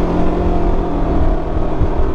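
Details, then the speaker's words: 2019 Can-Am Ryker 600 after an exhaust leak repair (the worn-out gasket was replaced and the springs and muffler were refitted): deep, even exhaust rumble pulling cleanly under throttle with no ticking or puffing, a sealed and healthy exhaust. "yeah but now the exhaust sounds like a regular Riker man"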